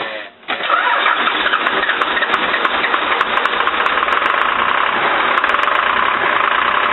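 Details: Cummins diesel with VE injection pump after injector line repair: cranks briefly, catches and settles into a steady, even diesel clatter at idle without misses; fuel delivery restored, normal start and idle.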